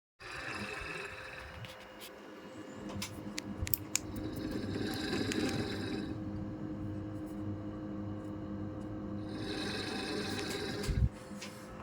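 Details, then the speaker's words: Midea inverter 1.0 air conditioner indoor blower right after servicing: steady hum under a rhythmic snoring rub, about three pulses a second; blower wheel rubbing on motor shaft, shifting blower left only reduced it. "lepas tu dia bunyi macam ni macam berdengkur tu leas tu dia dari sini bunyinya tapi tak tahulah sebab apa."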